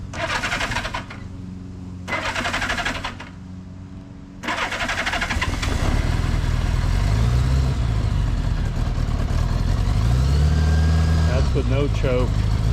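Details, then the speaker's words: 1975 Honda Goldwing GL1000 flat-four, 34,900 miles, nearly cold after a short test ride, in neutral with choke pulled to raise idle; a few cranking bursts then fires and runs smoothly, idle rising and falling evenly; normal cold start. "Like I said, I test rode it a little while ago, so it wasn't stone cold. Well, almost stone cold. Pulled the choke. Okay, I pulled the choke out to get the idle up."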